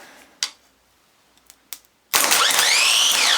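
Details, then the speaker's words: Ford Transit starter motor on the bench, solenoid energized with a screwdriver bridge; after a few clicks a loud, harsh, high wavering whine; worn armature bearings, shafts coated with brass bearings, likely scrap. "oh it sounds like the bearings in that don't it oh yeah that might be all looks up with it"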